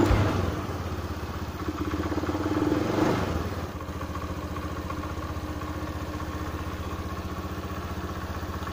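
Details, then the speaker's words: Honda Beat FI scooter that hesitated and stalled, traced to a weak fuel pump: with fuel pressure set to 40 PSI it picks up cleanly on a throttle blip and settles to a steady, even putter; responsive. "Nah itu di 40 vs Iya ini juga sudah responsif ini sudah mantep"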